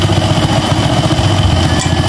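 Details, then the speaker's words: Rusi 110 motorcycle after new regulator replaced a faulty one that drained its two-day-old battery, wiring partly broken: steady evenly spaced low putter with no misses or rattles; normal smooth idle, engine runs even without battery. "So kahit na walang baterya mga bay, aandar pa din to."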